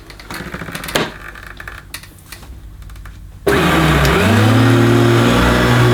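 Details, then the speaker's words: Hoover U2716 Turbopower Boost bagged upright vacuum, oldish and needing work, running in boost mode: steady loud motor roar with even low hum and smooth airflow rush, noticeably noisier than in low-power mode; healthy normal running. "obviously a little bit noisier in boost mode wasn't it I forgotten that obviously it sounded good because it was in low-power"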